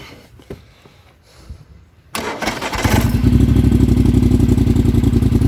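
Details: Polaris Sportsman 1000 High Lifter ATV with newly installed GSE Trail Tamer exhaust, heat shield left off (owner noticed some rattle): clicks, then it fires and settles into a deep, even exhaust pulse about 3.5 beats a second; normal running.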